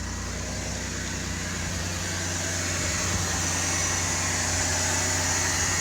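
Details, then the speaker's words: 2000 Ford Taurus, first start after intake manifold gasket replacement: engine idles with an uneven low pulse underneath, sounding rough; cause not yet clear. "Heard the pump. Ooh, that sounded pretty rough."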